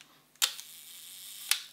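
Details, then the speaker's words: Used Leica M6 shutter fired at the 1-second setting: two crisp clicks roughly a second apart, opening and closing cleanly with no sticking or premature closing; the slow speeds work normally. "still sounds okay do it a third time still sounds okay you can't tell it's exactly a second but you can hear it's opening you can hear it's closing you can hear it's not jamming open and you can hear it's not closing prematurely"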